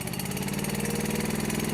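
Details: Honda IGX700/IGX800 V-twin on a log splitter idling with a lumpy surge that swells and sags; water in fuel or fuel delivery first suspected, now believed to be a spark delivery problem.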